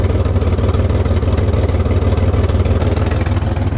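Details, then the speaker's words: Chevrolet Camaro with fuel pump relay reinstalled and fuel pressure rising: low idle throbbing about three beats a second, uneven lumpy stumble like flooding, calming when relay removed; rough idle from running rich. "it sounds like it's getting flooded but look if we take this off as you can see it calms down right here it doesn't sound as bad"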